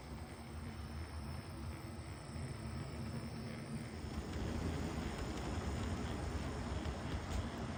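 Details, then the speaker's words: HO brass Southern Pacific 2-8-2 Mk-11 model locomotive: soft, even low rumble with no thumping or slapping from the drive rods; runs smoothly and very quietly. "You can see this one runs really well. Very quiet."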